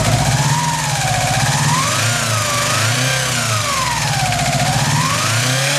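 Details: Subaru Impreza EJ18 four-cylinder at idle, intake manifold swapped from old engine: stumbling uneven low beat with wandering speed, not firing on all four cylinders despite new leads, plugs and reseated connectors; cause unknown.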